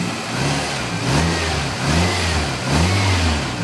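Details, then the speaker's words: Grossly overfilled engine, dipstick tube sealed off: surging, lumpy, unsteady revs with smoke as overfilled oil is drawn into the intake; running badly. "Oh, wait, it's not running good. Oh boy. It's smoke."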